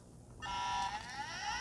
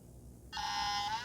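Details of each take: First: Compaq Peripherals CP3024 20 MB hard drive for a Compaq Portable III, last used 1997: whine climbs in pitch as platters spin up, then settles into an even hum as the head seeks and initializes; healthy spin-up, unlike the stuck-head drive. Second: Compaq CP3024 20 MB hard drive from a Compaq Portable III, last used in 1997, bench-powered: after a short silence the platters spin up with a steady whine but there is no head click or seek; heads are stuck.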